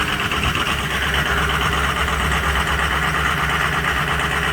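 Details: Cold start of a Ford 6.0 Powerstroke diesel with some bad injectors: uneven, lumpy idle clatter with irregular misses as a few injectors fail to fire cleanly; rough idle.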